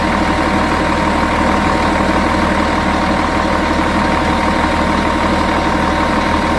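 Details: Volvo Olympian bus with D10A-245 diesel at idle: steady heavy idle with a constant whistle-like tone over a loose, uneven chatter. An abnormal idle sound, cause unknown.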